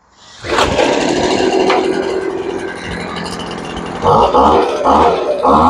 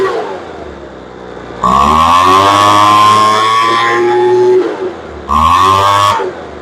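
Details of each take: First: Poulan Pro blower after carburetor adjustment, restarted cooled off after a couple of hours without choke. It catches within a second, settles into a steady buzzing idle and blips up cleanly several times. Runs healthy and happy. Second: Poulan Pro blower that would not start after sitting, with a suspected carburetor air leak. Its L screw is being adjusted in 1/8-turn steps. Revs climb sluggishly from idle to a screaming full throttle and drop back, so throttle response is still slow.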